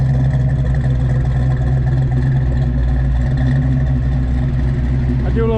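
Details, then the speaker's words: 1986 Fox Body Mustang, 408 stroker V8 with Holley EFI and MSD coil, after locked oil pump repair, initial startup and distributor sync, untuned, too much timing: deep loping steady idle, no knocks or ticks, sounds healthy; wind noise present. "i'm gonna do a little walk around let you guys listen to it it sounds good it does have a holley efi system on it for a fox body"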